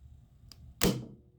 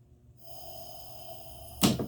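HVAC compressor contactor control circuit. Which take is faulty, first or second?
second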